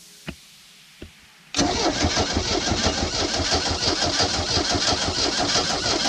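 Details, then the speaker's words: Old sterndrive boat engine, long sitting, water hooked up: two clicks then steady cranking about three beats a second for five seconds, never fires; may need fuel priming, owner suspects rusted cap, rotor, points, condenser. "the volts went out looks like the fuel went up a little bit it might just need to prime the fuel okay all right so at this point it's not starting"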